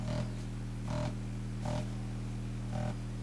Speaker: the buzzing but I've just had a look at the speaker and the speaker's absolutely fine but it's actually the grill is rattling and hitting the the back plate